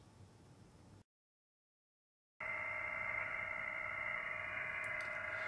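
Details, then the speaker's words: Ham radio HF transceiver tuned on the 40 m band, before using an MFJ-1026 noise canceler: strong, fast, even buzzing pulse, about four per second, like a motorboat. Owner suspects a neighbor's plasma TV but hasn't tracked it down. "I've tuned up the transceiver on a 40 m station here and you can hear I'm getting quite a bit of background noise sounds like a motorboat um I think this is coming from a neighbor's plasma TV or something like that"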